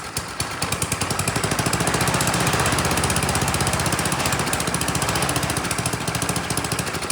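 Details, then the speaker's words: Troy-Bilt Storm 10030 snowblower, Tecumseh HMSK105 engine, long neglected, started with starting fluid: small single-cylinder engine firing in a steady, quick popping rhythm and holding speed evenly; normal running. "again very nice kind of surprised it ran on its own and not only that it ran pretty well you know I could turn the choke off throttle the engine up and things sounded good"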